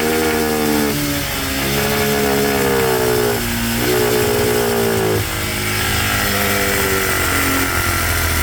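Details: Cheap monkey bike after adjusting the carb air-fuel screw. The small single revs up and settles back cleanly without stumbling; only slight fine tuning is left. Normal running.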